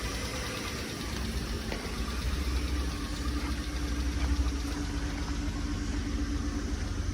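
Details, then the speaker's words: 2002 Chrysler Sebring convertible, jump-started, idling: light, quick tick about four per second over the engine; ticking at idle, cause unclear. "A little tick going on, as you can hear."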